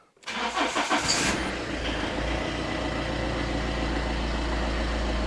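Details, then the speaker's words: 2002 Citroen Berlingo 2.0 HDi with poor running, EGR suspected, EGR vacuum line disconnected and blocked: short crank, then even steady diesel clatter at idle, no misfire, much as before. "Idling away much as before. That's not misfiring at all."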